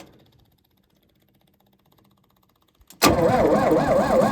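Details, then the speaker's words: Lincoln SAE 300 welder with Chevy inline-six, unused about two years, full choke: starter spins engine at steady even rate but it never catches; fuel pump heard working; no spark from ignition. "cranks yeah won't fire I'd say it's definitely getting fuel I can't verify that just at this moment but I can hear the pump pumping and it does sound like it hardens up"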